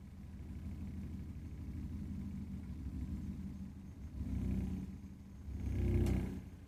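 Low, uneven rumble from the burner that swells up twice in a few seconds, a rough combustion rumble rather than a smooth burn.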